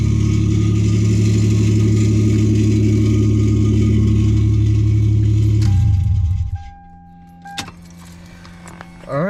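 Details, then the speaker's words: Lexus GS300 after rod-knock repair (new ACL race rod bearings, number three had spun, new starter, plugs, fluids): idle with a light regular rasp about four times a second, then shut off; owner suspects the flywheel scraping the block, unconfirmed. "it does make that weird little noise that flywheel scraping against seems like it's I think it's scraping against the block"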